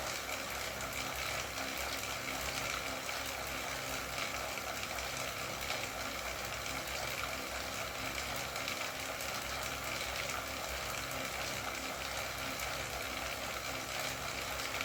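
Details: Wahoo KICKR CORE trainer with Zwift Ride, strapped to a rocker plate, pedalled at about 90 rpm and 170 W: steady smooth whir with no clicks or knocks. It runs all good, without the intermittent known clicking fault.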